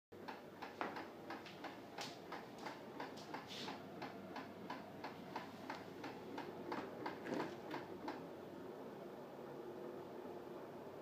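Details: Whirlpool Sense 6 fridge making a quiet regular clicking, two to three a second, pausing then returning; clicking stops when the door is opened.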